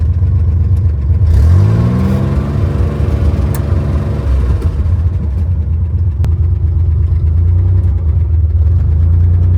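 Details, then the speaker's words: 1963 Chevy Corvair driving in second gear after years unused, with no brakes. The throttle pedal sticks, so revs climb sharply and hang high for seconds before dropping back. Sticking throttle. "It sticks. So, I'm trying to not let it rev to the moon."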